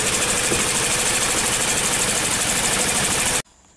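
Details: 2003 Toyota with codes P0200 and P0201 (injector circuit fault) idling: uneven, shaky idle under loud hiss and ticking, a cylinder misfire with loss of power and dash warning lights on, from a dead injector.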